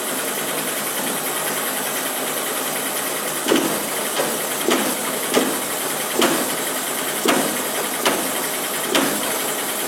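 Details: Verza 150 motorcycle idling with a hissy, rattly tone and irregular clunks; owner complains it is noisy, rough-sounding clutch (kopling bunyi kasar).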